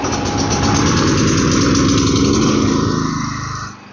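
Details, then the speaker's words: PhilKing 4200 petrol generator (3,800 W running, 4,200 W max, 220 V 60 Hz, about 400 hours, maintained with oil changes and carb cleaning) starting for a load test: steady, even chug at a firm regular beat, easing down at the end. "Start natin yung generator."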